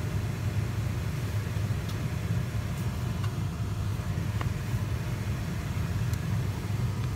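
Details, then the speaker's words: BMW 3 Series heater blower motor, earlier squeaking and rattling worse over time, after removal, greasing and refitting, run on speed one: steady low hum, no squeak or rattle; bearings now quiet. "it noise has gone it's a spade number one they don't sound too bad it's nice and quiet"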